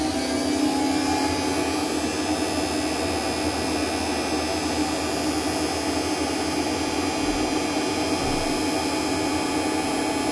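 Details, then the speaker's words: Centurion tank, AC generator (alternator) start-up heard from the gunner position before the metadyne starts: a loud, steady high whine like a jet or vacuum cleaner; normal start-up noise. "ar is um the uh AC generator startup that'll be the first loud noise you can hear that go"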